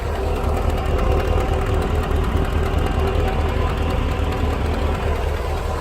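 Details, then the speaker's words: 2002 Chevy 2500HD 4x4 with the LQ4 6.0 V8, after top-end sensor work and cleaning: steady idle with a light rhythmic tick a little over twice a second on the rumble, an exhaust leak. "You can hear there's an exhaust leak up here."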